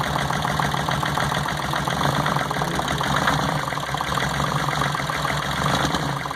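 Idle is lumpy and uneven, with an irregular stumble breaking the steady beat; one cylinder is dropping out, a misfire.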